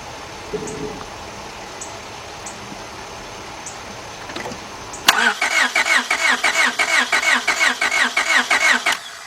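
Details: 2002 Honda Accord 2.3 cranks but won't start: quiet, then steady starter cranking about three pulses a second that never catches, during a spark test at the plug; only a weak spark is seen.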